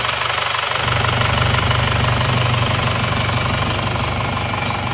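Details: Isuzu Panther diesel after engine overhaul for heavy blow-by, warm at 73°C after a test drive: even, smooth idle like new with no misses or knocks, and no more smoke from the oil dipstick tube; normal diesel idle.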